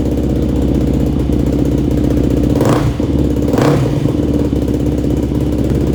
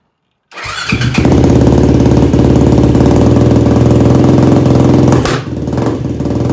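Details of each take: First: Yamaha YFZ450 single-cylinder quad after engine rebuild, new ignition parts and carburetor rejetting (main, pilot, leak, starter jets); thumps at a crisp, steady idle, picks up cleanly on two quick throttle blips and settles back evenly; healthy idle. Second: Yamaha YFZ450 ATV rebuild, very first start after engine install and carb mid-body rejetting, no choke, fuel petcock accidentally left off; the single fires loud and choppy then stumbles and sags about five seconds in; owner suspected jetting.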